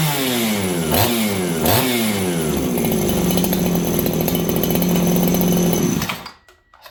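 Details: Farmertec 288 kitsaw, a 90 cc aftermarket two-stroke chainsaw on its aftermarket carb; it revs twice, then four-strokes heavily at wide open with a burbling, uneven crackle from a rich high-speed mixture.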